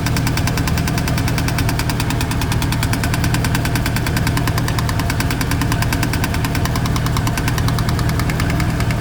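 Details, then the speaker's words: 1999 Chevy Silverado V8 idling with a fast, light metallic chatter that mimics engine knock but comes from a loose dust cover. "Little bit of a knocking going on there. I'm looking to see if there's a bolt or something up here that's not tight."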